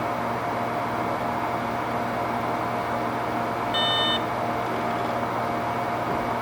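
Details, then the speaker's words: Hitachi Ultrastar 3.5-inch 15,000 RPM SAS server drive plugged into a SAS bay of a loud computer: one short high beep over steady fan roar as the drive spins up and reads platters; it later fails to initialize in Windows. "there's the beep and I heard I heard data being read from the platters"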